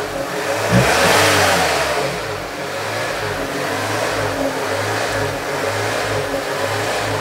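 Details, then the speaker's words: 2000 K11 Nissan Micra Sport, sat 10 years, fuel system drained and refilled: revs swell and sag unevenly instead of holding idle; idle surging, throttle body needs replacing. "There She Goes here's the surging Here Comes The Surge"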